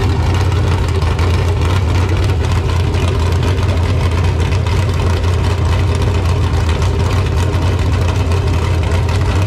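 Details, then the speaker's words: LQ9 V8 with Texas Speed Magic Stick 4 cam on a run stand, Holley Terminator X base tune, running a little rich; one-chamber Flowmasters fitted to quiet the very loud open header. Deep, even burble at steady idle, no ticks or knocks: normal idle. "it does sound really good open header but it is very loud"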